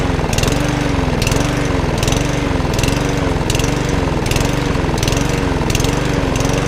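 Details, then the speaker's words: Lawnmower with a primer bulb and broken throttle arm: engine runs but its pitch rises and falls about once a second, a hunting idle; owner thinks it needs a good service, probably the carburettor. "that runs that just wants a frock I will sort out and a good service as well probably carburetor"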